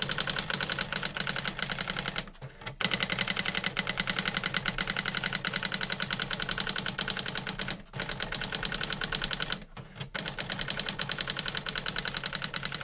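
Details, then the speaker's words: New-in-box circa-1985 Epson DX-10 printer printing a Windows 2000 generic text-only test page via printer port: rapid even clatter of print strikes, short pauses at line returns; worked perfectly, normal printing. "oh that is actually pretty cool that worked perfectly"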